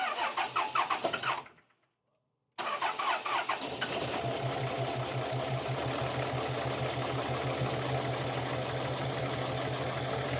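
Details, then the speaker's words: Cummins diesel truck, after injector solenoid work: cranks, catches, then uneven stumbling loping idle, whole truck vibrates; owner suspects a dead cylinder, codes for ambient temp, MAP voltage low, ECM power intermittent; rough idle. "Because again, I'm pretty sure we got a dead hole."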